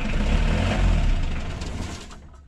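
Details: Mitsubishi L300 diesel running after a starter motor repair: deep, steady diesel rumble with an even beat and no knocks or grinding, fading toward the end; the engine starts and runs normally.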